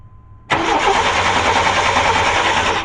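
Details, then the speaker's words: 1994 Chevy Cheyenne 2500 with 4.3 Vortec V6 that died while towing on the interstate: steady cranking, never fires; spark tester shows no spark though fuel is pumping, crank-no-start. "no spark no spark very interesting"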